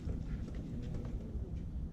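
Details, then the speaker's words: Kia Forte Koup 2.0 under load: a deep, uneven knocking thud under the engine's low rumble, piston slap from vertically scored cylinders; compression is 100/99/100/67%, and the engine is diagnosed as dead. "을 밟고 부하가 걸리면 덜컹거리는 소리 가 납니다 . 예 . 저건 노크 소리 야 ."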